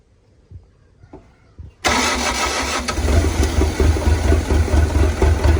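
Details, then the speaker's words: Quiet clicks, then the starter catches and a CAT 307SSR mini excavator's Mitsubishi diesel fires at once into a steady, even idle with strong low thrum, after injection pump installation and pumping fuel through the system; starts cleanly. "okay so this time we're trying to start the engine okay stop"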